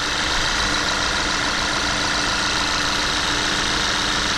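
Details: VW Jetta idling just after high-pressure fuel pump replacement: steady idle under a hissy, tinny top end, no knocks or stumbles; EPC light still on from an active fault code awaiting scanner clearing, no leaks; engine sounds healthy.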